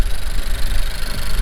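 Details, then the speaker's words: Honda Civic with rear motor mount, check engine light, cylinder one misfire and high air-fuel ratios: uneven, lumpy idle thumping with a stumbling beat. Plugs just replaced and coil packs checked; owner suspects the cylinder one injector is failing, with fuel smell and blow-by. "our air fuel ratios are hella high what could be the cause cylinder one misfire"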